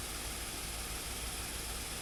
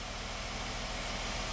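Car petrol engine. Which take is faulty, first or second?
second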